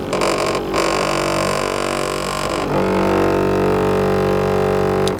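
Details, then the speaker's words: 12-volt on-demand electric pump on a Fimco sprayer: constant droning hum runs on with no pitch change or cutoff; pump fails to build pressure, commonly caused by the cutoff valve not turned on; intake strainer checked next. "it fails to build pressure like this one's doing, the next thing we're going to do is we're going to check the screen here, and I'll need to put on some PPE for that."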